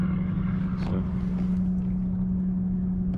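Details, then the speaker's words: Rhodan trolling motor newly installed on World Cat SD boat, deployed and doing two full turns: quiet, steady low hum at even pitch, no grinding or rattles; normal running. "this thing's pretty quiet too. It's really quiet."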